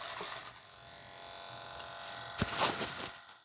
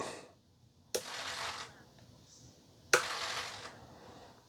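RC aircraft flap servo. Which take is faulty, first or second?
first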